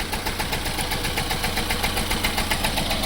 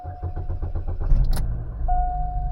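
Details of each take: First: 2006 Chevy Cobalt with erratic idle but smooth above idle, codes P0068, P0106 and random misfire; coil, ignition module, MAF, MAP, plugs, upstream O2 and timing chain tensioner replaced. Idle shakes with a steady thump, a hard dead-cylinder miss. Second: 2006 Chevy Cobalt with erratic idle, codes P0068/P0106 and random misfire: after a hard reset by disconnecting the battery, the engine cranks, catches and settles into a steady idle with the heavy misfire and chugging gone.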